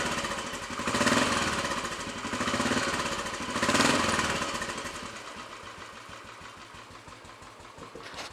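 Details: Royal Enfield Bullet 500 single after head gasket replacement, exhaust blow at head fixed, baffle removed and carb needle raised, on choke: catches, revs a few times, settles to even thump about three per second with deep exhaust note; normal idle.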